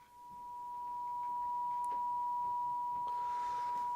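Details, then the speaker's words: Advanced J1B AF signal generator via plugged-in speaker, output attenuator up: clean steady tone around one kilocycle without wavering or crackle; normal oscillator tone. "there's actually only one way to test a low frequency oscillator, and that's basically to plug a speaker in and see if it'll do the old wobbly knob test."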